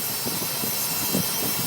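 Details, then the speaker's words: 2005 Nissan Armada LE 5.6L V8, warm after driving (absent when cold), with low oil pressure in gear; steady raspy buzz from the engine front with uneven low thumps; timing chain or guide suspected, not confirmed. "that buzzing sounds like a bad fuel pump but obviously I know the fuel pump is not up front here"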